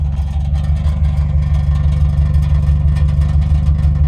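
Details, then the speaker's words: Older Subaru WRX running: low, pulsing exhaust drone with a tinny, tin-can buzz on top. It started just after a battery replacement, and the exhaust had slipped off a hanger, so it touches and rattles. "Another recent development that we've had in the Subaru is this tin can sound from the exhaust."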